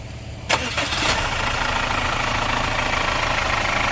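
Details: Captiva FL diesel restarted after repairs, including new tensioner and fan belt, and a pulley damper problem: a short crank catches at once into a steady, even idle with no knock; healthy.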